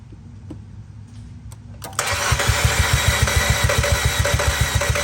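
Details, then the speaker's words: Fiat with Chrysler MultiAir engine after long-term storage: even starter cranking about three and a half beats per second that never catches, oil drained from the MultiAir brick leaving its four solenoids dry; crank no start. "when these vehicle goes to long-term storage all the oil drains to the bottom and these solenoids are left dry and they're unable to function without their needed supply of oil"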